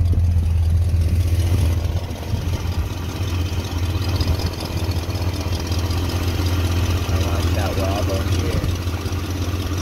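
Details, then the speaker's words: 1974 Ford F250 V8 just after replacing a leaking fuel pump with one for a '71 Lincoln Continental 7.5L 460: starts up, then a steady, even low rumble with no knocks, misses or ticks; sounds great. "thank god thank god it started up huh sounds great though"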